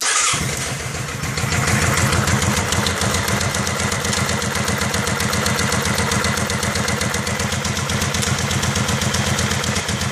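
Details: 2001 Kawasaki Vulcan 750 on a cold start, settling into a steady idle with a fast, even, light top-end tick over the exhaust beat. The owner is unsure whether the automatic cam chain tensioner (ACCT) is the cause.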